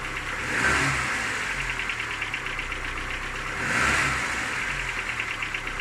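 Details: Cold engine idling with light blips and fast faint metallic ticking knock; knock fades as it warms and is gone at 90°C; hot compression 11 in all cylinders; cause unknown, owner asking.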